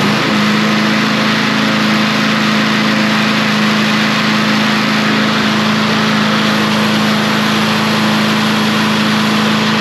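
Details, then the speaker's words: Troy-Bilt push mower that sat under a shed about a year, on its first pull: a steady, even single-cylinder drone with no misses or surging. It runs fine. "look like she's going to run like a champ"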